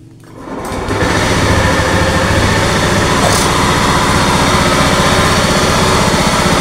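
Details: Honda Scoopy ESP scooter at idle, owner complaining of a rough engine sound: steady idle with a coarse, gravelly growl over the firing beat; source not yet confirmed (bearing, gearbox or CVT suspected).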